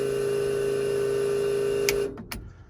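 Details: Cummins dual electric fuel pump setup, rewired so each pump runs on its own circuit through a switch panel after running two pumps on one fuse blew the fuse: a steady, even electric hum at constant pitch, then a clean switch-off; normal running.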